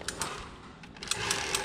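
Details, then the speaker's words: Quad (ATV) maintenance, variator cover open: the pulley is turned by hand in reverse to load the belt, and light crisp clicks come in a loose repeating pattern. This is the freewheel ratcheting, which means it works correctly and turns independently. "Quand on entend le clic-clic comme on entend là, c'est que ça fonctionne correctement. On voit que elle peut tourner indépendamment de celui-là."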